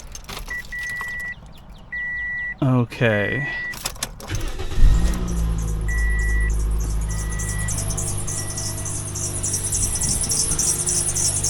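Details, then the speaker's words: 2007 Toyota Yaris at engine start: high rapid chirping squeak over idle from the slipping serpentine accessory belt, to be replaced. "Okay. Did you hear that squeak? I like to call that the Yarus mating call. What I'm going to do today is replace the belt that's making that sound."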